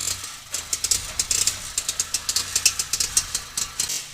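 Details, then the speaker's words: Motorcycle misfiring, jerking and backfiring; the pickup coil is suspected. After the plug and HT coil were checked, the points checked, the plug gap reduced and the part tightened, the uneven idle still has sharp, irregular pops several per second. The cause is not yet confirmed. "पटाखे जैसे अभी भी छोड़ रही है, वैसे को वैसे।"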